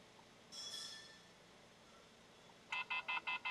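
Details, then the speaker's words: Wagon R with shaking and lack of power, OBD scan showing no trouble codes: six short high beeps in an even quick pattern, the scan tool's warning reminder to unplug the diagnostic dongle from the car. "ഈ sound കേൾക്കുന്നത് വച്ചാൽ ഇതിന്റെ ഡോഗിൾ unit ഇളക്കി എടുക്കാൻ മറക്കാതിരിക്കാൻ വേണ്ടിട്ട് തരുന്ന ഒരു വാണിങ് ആണ്"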